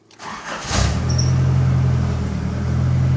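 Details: Nissan 200SX (S12): engine catches after a brief crank and settles into an even, steady idle with low hum; sounds healthy, vacuum reading perfect.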